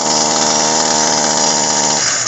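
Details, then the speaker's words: Echo SRM-225 two-stroke trimmer idling and unable to rev, buzzing at a steady held-back pitch and sagging; muffler and cylinder carbon-clogged, before cleaning, with almost nothing coming out the exhaust. "nothing's coming out the exhaust so that's how you tell so as you can hear it it echoes on the on the carburetor side like that it's almost being the exhaust"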